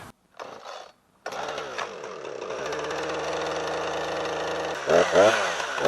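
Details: Husqvarna 455 Rancher chainsaw on owner-mixed 50:1 fuel, after a new spark plug: revs to a steady buzzing scream, then pitch sags and wavers in wood. Owner calls it gutless; cause unconfirmed.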